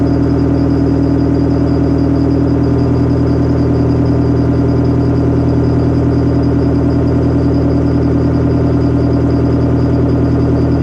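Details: Detroit Diesel 4-53TIB two-stroke diesel, rebuilt Silver series, idle after cold start outdoors at about -7 to -10°C following Webasto preheat, no oil heater, oil about 28°F: deep, even, steady rhythm with no knocks or misses. Normal idle.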